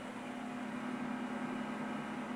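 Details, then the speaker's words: HP Pavilion 541c desktop, AMD CPU, 768 MB RAM, first power-on test. Constant loud whirr with a steady mid hum and no change. Fan is annoyingly loud, cause unknown. "let's fire it up I think the monitor is set up correctly on it comes that Fan's kind of annoying"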